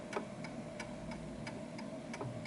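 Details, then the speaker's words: Antique Westminster chime clock with silent function, set level by ear: crisp, even ticks about three per second with a soft hum behind. The clock is in beat and running properly. "So as you can hear, that's a perfect ticking clock."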